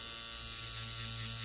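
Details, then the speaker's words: Tattoo pen on an adjustable battery set to 8.1 volts, RCA connection, same frequency as the power supply: fast, steady electric buzz with an even high whine; hits harder and faster, normal running. "Et on sent qu'elle pique. Elle gratte plus fort, plus vite."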